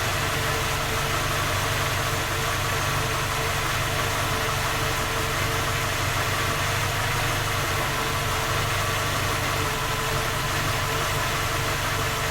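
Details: Skoda Octavia A5 facelift 1.6 MPI, cold engine at idle: steady, busy idle with a dull tapping through it; three engine repairs, fault not found, engine still knocks.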